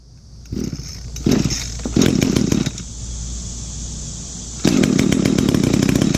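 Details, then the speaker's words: Echo GT 200R trimmer, two-stroke, just fitted new Zama carburetor, started on choke and primer: catches after sputters, settles to a low uneven idle near stalling; idle set too low, needs idle screw turned in. "Sounds like I need to adjust the idle. It's idling a little too low."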